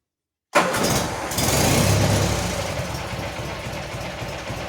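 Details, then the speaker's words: Garden tractor with 20 hp Magnum opposed twin (replacing a 16 hp Briggs Vanguard), electric fuel pump added, about 1000–1500 hours, cold start: cranks, catches fast, settles into smooth even idle, no knocks or misses; normal start and idle. "you can tell this thing just blurs it is an amazing engine"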